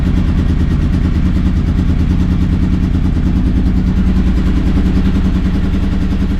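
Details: 30-year-old Honda VFR 750 V4 idling after fitting a used stainless steel exhaust in place of the rotten original: even steady beat, deep smooth exhaust note, no knocks or rattles; running cleanly, white smoke believed from copper grease burning off.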